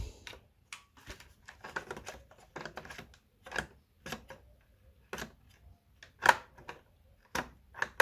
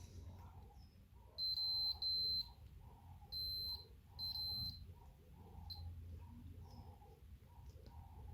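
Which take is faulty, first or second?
second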